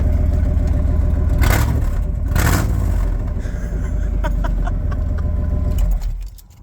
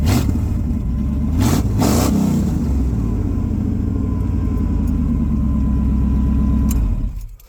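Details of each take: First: Old V8 truck started mid exhaust work with a catalytic converter cut out, expected to throw codes: after the start catches, a deep, loud, raw rumbling idle, rougher than stock, from the opened exhaust. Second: Truck V8 with new 2-inch high-flow catalytic converters fitted, X-pipe not yet finished, before new headers: a couple of throttle blips then a deep, even, rowdy burble settling to a steady idle; exhaust sounds clean and healthy.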